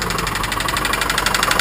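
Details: 1990 Mustang LX V8 at idle, good oil pressure, new alternator, tensioner and belt: quick, even ticking knock over a rough idle; source unknown, owner unsure whether bottom end or top end.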